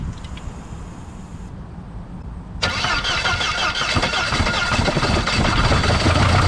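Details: 2000 Saab 9-3 convertible, almost 200,000 miles: cranks, catches and runs with a quick steady knock about four per second under the idle; suspected spun crank bearing, unconfirmed.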